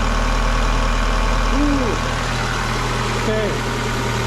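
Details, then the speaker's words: 2000 Ford Contour 2.0 after new intake gaskets and replacing the cracked PCV line with heater hose; smooth, even idle, steady low drone with no vacuum hiss or stumble; normal idle. "oh listen to this thing such a beautiful car"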